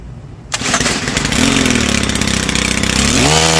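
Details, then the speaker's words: Stihl FS-series 4-mix trimmer with a hard-to-pull starter cord, after valve adjustment: fires quickly, idles a little rough at first, then picks up cleanly to a smooth, higher steady speed; normal start and run. "and I'd say that's a win as you can see it's a whole lot easier than you thought"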